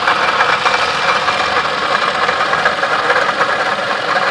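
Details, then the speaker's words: Toyota Camry water pump bearing noise (idler pulley can sound similar): constant gritty hiss and grind over steady idle, no whine rising with revs as an alternator would; worn water pump bearing, not alternator. "is the water pump is not the alternator they sound totally different alternator has a whining sound and when you step on the gas the wine to get louder this horse burns sound that water pump right there"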